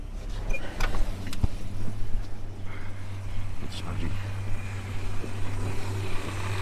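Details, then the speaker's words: Holden HK just refitted with fresh oil and new filter, timing not yet set, automatic transmission low on fluid; steady low idle from startup with a light, uneven rattle on top, the PCV valve chattering, not the bottom end. "Rightio, so that rattle you hear, that's the PCP valve down there. So that's the rattle you're hearing there. That's the PCV valve."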